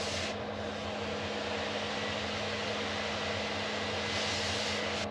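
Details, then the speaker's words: Cheap Chinese diesel heater in a camper van, run from a 12V transformer on a power pack, low setting: even, steady fan rush with constant low hum, no surging or popping, burning cleanly; working really well, normal running. "yeah look at that it's working really well I'm so chuffed with that"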